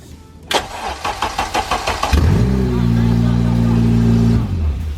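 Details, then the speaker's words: Honda K20 swap on first start, open header, no coolant: several quick cranking beats, then it catches and holds a loud, steady raw idle for a couple of seconds before shutdown; healthy start. "Yo, that shit was fucking loud. Well, it's open header. What'd you expect?"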